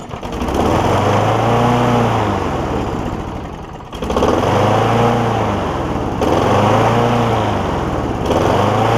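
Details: John Deere JA60 push mower's first run after freeing a stuck valve, with a broken-off head bolt on the valve side: the small flathead buzzes at fast idle, sagging and recovering every couple of seconds. It is running, but rough.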